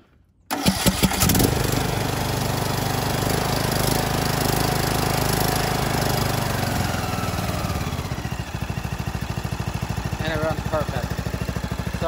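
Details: John Deere LA125 with Briggs & Stratton 21 hp engine, 282 hours, after new OEM carb replacing aftermarket one, plug, filters, oil change and valve adjustment: catches on first crank, settles into even steady single-cylinder beat, no hunting or misses; running properly.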